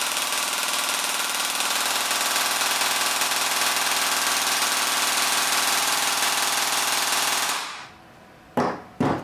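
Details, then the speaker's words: AEG gearbox with M120 spring on the stock motor, before the T238 brushless swap, current peaking about 27 A and averaging about 16 A: fast, even mechanical chatter for about seven seconds, then two short bursts; normal full-auto cycling. "all right that sounds tough"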